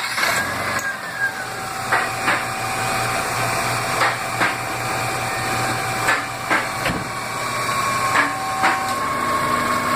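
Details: Car idling after a battery replacement, charging tester reading 14.2 volts mid green zone on a battery shelved about 6 months. Even, steady idle with a faint whine and scattered clicks, no stumble; charging fine, normal.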